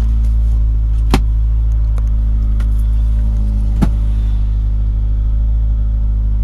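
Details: Honda Prelude petrol engine at idle: heavy, blatting low rumble with a couple of sharp isolated ticks; bad exhaust leak.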